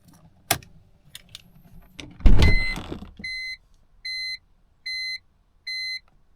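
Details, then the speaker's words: BMW E46 with ignition off, key removed and door opened: key clicks, door opening, then four steady high beeps, the warning that the headlights were left on. "that beep is your headlights guys okay so what happens is when you forget to turn off your headlights and you open your door then the carb will let out a beeping sound to let you know and alert you that you have left your headlights on guys"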